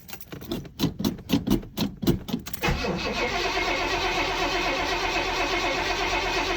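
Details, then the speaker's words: 1970 Pontiac GTO, cold start, couple pumps of gas: cranks about four beats per second under three seconds, catches cleanly, settles to steady even idle; normal cold start. Owner suspects a broken motor mount. "Normally she fires up pretty good even in the wintertime."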